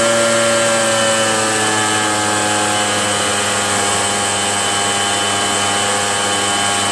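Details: RedMax EBZ8050 gas backpack blower two-stroke after new piston rings fixed no compression (rings very tight, hard pull, hard start): high, even buzz holding steady without misfires or surging; running properly.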